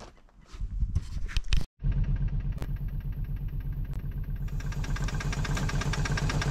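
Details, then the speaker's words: Abandoned 1990 Mercedes 230CE petrol engine idling with an uneven, stumbling beat, missing; firing order on the distributor cap leads was wrong, two ignition leads crossed. "Okay so it's missing and I've just pulled number one spot plug off"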